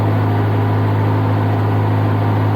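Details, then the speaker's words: Niftylift HR21D/SP64D MK2 with Kubota D1505 diesel, idle screw adjusted up from about 1300 to about 1570 rpm (target 1500–1600) to cure engine cutting out; steady, even idle with a smooth low drone, no hunting. "let's start it up okay so we have about 1570 so much better now"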